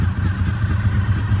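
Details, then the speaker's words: 2003 Honda VFR800 (5th gen) V4 with a Two Brothers exhaust warming up at idle after 8 years of storage, gear-driven cams: deep, even burble with no ticking or misses; sounds healthy. "look at this guys it's running listen to those gear driven camps guys listen to it"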